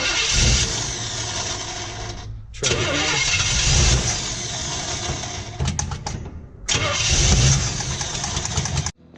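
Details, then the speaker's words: 1955 Chevy truck on a test fire, distributor roughly mocked up, primed with fuel: repeated starter cranking with brief stumbles that never catch, so it cranks but won't start. "gonna try this again I have the distributor just a little loose I advanced the timing a little bit more just to see if we can get it to go"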